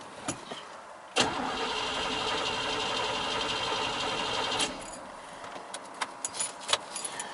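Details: 1996 Chevy K1500 4WD 5.0L V8, custom wiring, cold (coolant about 55°F): starter spins the engine evenly for about three seconds but it never fires; crank no-start.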